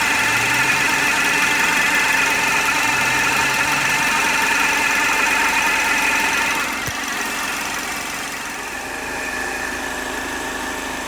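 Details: 2010 Chevrolet HHR 2.2 Ecotec at warm idle: steady, fast ticking about four per second over the engine hum; weird noise, cause unknown.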